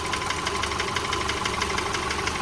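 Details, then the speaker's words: 2010 Subaru Forester 2.5L EJ25 boxer warming up after a cold start: light, fast, even ticking over a smooth idle, like injector or valve tick. Piston slap is fading as it warms; this is normal. "sounds more like an injector noise or a valve tick you know but you look this engine's running nice and"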